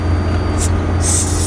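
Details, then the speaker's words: Daikin Altherma domestic hot-water heat pump (indoor EABX16DA9W, outdoor EPGA11DAV3) commissioning, air purge mode: low pump hum, then airy hiss as trapped circuit air escapes through the slightly unscrewed bleed valve head. "Vous entendez le bruit de l'air? C'est l'air du circuit. On purge là à travers notre purgeur."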